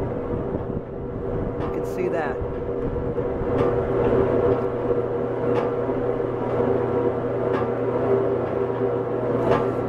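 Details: Hobart 4346 commercial meat mixer-grinder, one-owner, dealer-serviced, on three-phase via converter, running mix and grind with paddles turning; steady even motor hum with low gear drone, no knocking, grinding or surging; runs smoothly.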